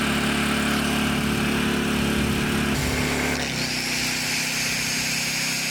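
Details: Honda EZ1800 gas generator after carburetor cleaning, new fuel line and fresh 91 octane fuel, started on choke, idle later set to 3600 rpm: steady buzzing that settles to a slightly different even pitch; runs cleanly, normal running.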